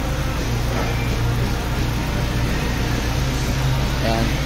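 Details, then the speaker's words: Honda Fit idling during break-in: steady, even low hum with no knocks, ticks or uneven beat. Very quiet; no water or oil leaks found. "Tahimik na tahimik. Ayan. Ayan, wala nang leak sir."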